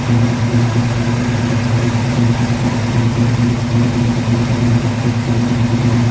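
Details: 1950 Ford F1 truck, long stored in a barn, after ignition rewired to MSD box with fuel pump hardwired: steady, even idle with a smooth low hum and no misses or knocks; engine running cleanly.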